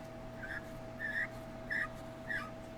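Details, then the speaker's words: 1999 Yukon 4x4 4L60E transmission teardown, case roller clutch turned by hand giving four short high squeaks about every 0.6 s; squeak indicates the roller clutch is still good. "that squeaking indicator case roller is still good"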